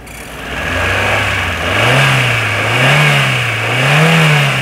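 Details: 2010 Hyundai Getz, single owner, non-taxi: engine climbs and falls smoothly through three blips from idle with clean, even pitch changes and no knocks or rattles; normal revving.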